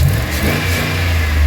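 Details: 2005 one-ton Chevy Express van V8 after a new part for a cylinder misfire; strong, even low rumble as it revs, no stumble or popping between firings; no check engine light or codes.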